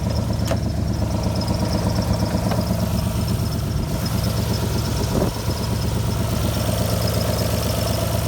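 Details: Alfa Romeo GTV V6 started after months parked: steady low idle with uneven, lumpy beat and occasional stumble; running rough, misfire suspected, cause unclear.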